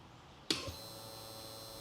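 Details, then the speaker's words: Fuel-injected (EFI) generator that stopped running after an impact dented the tank; pump sits under a cover. A sharp click, then a thin steady electric whir as the pump primes and cycles. "You can hear that fuel pump cycle. Let me do it again."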